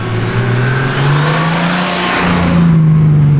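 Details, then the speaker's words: Turbocharged BMW E36 on its first drive, not yet at operating temperature and with no boost made: loud Garrett turbo whistle rising and falling with engine speed over a deep exhaust note; normal turbo whine. "That whine, that Garrett whine is just, oh. That exhaust tone though is so It's good."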